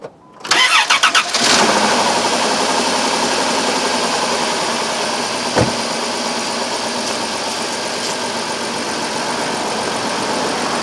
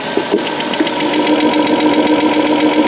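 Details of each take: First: 2002 Chrysler Town and Country 3.3L V6 with code P0305: cranks, catches and settles into a rough idle with a bad dead miss on cylinder 5, checked for spark. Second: 2002 Chrysler Town and Country 3.3L with a P0305 cylinder 5 misfire, idling: crisp even ticking, about two and a half a second, of the good cylinder 6 fuel injector opening and closing under computer control, heard as a comparison.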